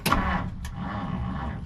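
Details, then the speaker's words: 1959 Plymouth Savoy, off the road 15+ years, cranks but won't fire: short, strong starter churn winding down evenly, no clicking or dragging; good healthy crank while checking fuel delivery. "wow great get the battery booster back on the battery that was a really good crank did you guys hear that"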